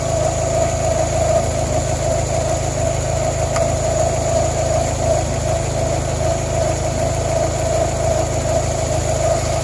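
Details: 1993-97 Toyota Corolla/Geo Prizm idling after radiator replacement and coolant bleeding: smooth even idle, steady low rumble, no misses, knocks or rattles; settled and running normally.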